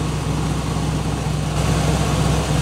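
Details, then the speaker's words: 1967 Buick Riviera, long-sitting, first cold start after battery replacement: low, slightly lumpy idle with uneven exhaust beat and shaking, a cylinder missing while cold, smoothing out as it warms and revs. "the exhaust is a little you can hear the misfire in the past and wrap it up a bit to clear up the misfire"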